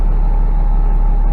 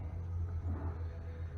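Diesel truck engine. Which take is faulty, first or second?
second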